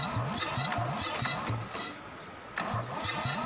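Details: Kubota L2002DT tractor, D1302 20hp diesel, decompression release stuck: slow, labored cranking at about three to four strokes a second, with a pause and a retry, never firing; hard starting from the stuck decompression release.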